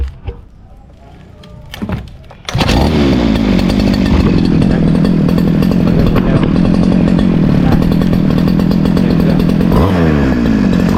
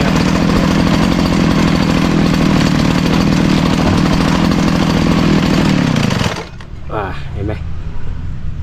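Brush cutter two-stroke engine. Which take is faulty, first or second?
second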